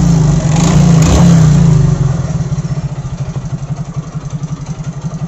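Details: Rev rises then drops into a steady, fast clatter around four beats a second over a lumpy idle, sounding like top-end wear; cause suspected, not confirmed.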